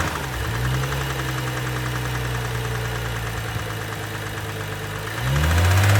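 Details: 2012 BMW 135i M Sport (F20/F21) N55 3.0 L petrol, 306 hp, 99,000 km: deep rough engine run with knocking growing as revs climb; bearing damage (Lagerschaden).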